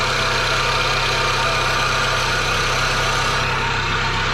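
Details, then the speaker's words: 2002 Pontiac Sunfire, 113,000 on the odometer, off the road since 2011, first start with warning lights on: harsh, loud clattering racket over an uneven idle; source unknown, owner hopes it clears once warm. "something is making some god-awful racket it's hard to tell hopefully it's just like"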